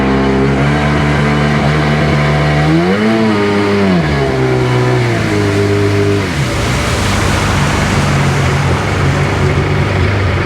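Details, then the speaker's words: Sea-Doo GTX DI 951 two-stroke after rebuild, test accelerating: revs climb then break into hollow rushing roar as the jet pump loses grip, worsening; cavitation because the ring was left off the rubber gasket, which fell apart and needed replacing. "Um, we had cavitation uh when I accelerate and I realized I didn't put the ring on when I went to put this rubber gasket on."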